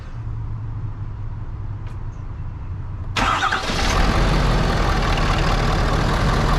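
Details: 2018 Ford 6.7 Powerstroke diesel pickup started after changing both fuel filters and priming the system: quiet, then the starter catches and it settles into a steady, even low idle rumble with no misses or knocks; healthy.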